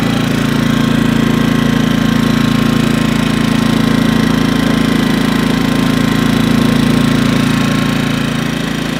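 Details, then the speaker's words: 2000 W suitcase-style generator with Yamaha MZ80 engine after carburetor cleaning and tune-up, started on choke with spark arrestor removed to blow out carbon: runs smooth and even at steady speed, no hunting or surging; normal running. "I'll fire it up and blow whatever carbon's in there before I put it back on. So go ahead and start the engine on, choke it. It's a good sign, fires right"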